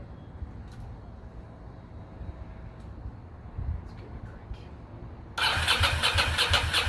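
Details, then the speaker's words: 2006 Ducati Monster S2R 800, first start in many years after fuel pump replacement: V-twin catches and runs rough and lumpy on the rear cylinder only; front cylinder not firing, suspected clogged injector, possibly air in lines. "cylinder is not firing only the back one's getting hot so we probably have a clogged injector"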